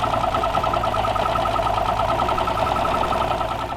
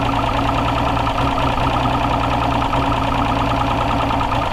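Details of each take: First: Long-sitting 2-stroke outboard with direct injection, running with gauges at 80 psi air and 90 psi fuel and an air leak present. Uneven, stumbling beat with pulses dropping out: misfire on cylinder 2, with near-new fuel injectors, so the air injector is suspected. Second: Two-stroke outboard that had sat unused, run on water after a new fuel injector was fitted: a loud, steady drone with an even low beat and no misses. It runs smoothly, though a leak was later found under a valve.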